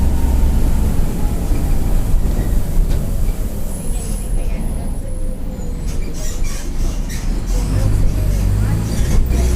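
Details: Onboard 2007 Mercedes-Benz OF-1722M bus with Marcopolo Torino body, Grande Londrina fleet 1110, line 505, Feb 2023; heavy steady low roar under the cabin tracking road speed over diesel drone, loud worn differential.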